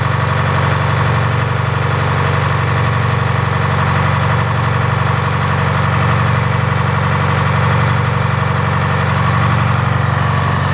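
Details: Old Detroit engine, run again after three days of rain, holding a deep, steady drone with an even low beat, smooth throughout. Running properly.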